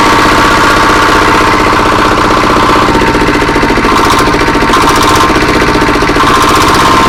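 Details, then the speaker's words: Diesel R180 single-cylinder engine from a saw bench, after piston ring installation for complaints of low power and oil consumption, started after refilling oil and throttled up; loud rapid chug about four beats a second, even with no knock or miss. "Baik sahabat, ini akan kita coba ya, kita hidupkan setelah tadi dikasih oli. Oke, kita coba, kita gas dulu sahabat."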